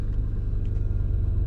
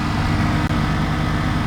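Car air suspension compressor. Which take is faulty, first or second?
first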